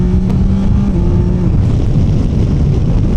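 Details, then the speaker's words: 2025 Yamaha Tracer 9 GT triple with Y-AMT six-speed gearbox, on test ride: strong low roar climbing and holding near 7,000 rpm under load, clean triple howl; healthy, eager engine. "7,000 revs. Wow. It just wants to go."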